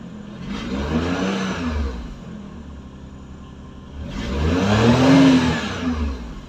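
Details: Car engine just started after spark plug change: catches, settles, revs up smoothly and falls back with no misses or knocks; runs clean and even, normal running.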